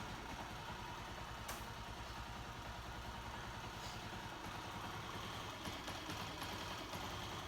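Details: 2008 Honda CG 125 single-cylinder engine, checked for a strange noise, oil seeping up and wear in rocker arms, pushrods or camshaft: at this point it idles steadily with an even low putter, no knocking or grinding.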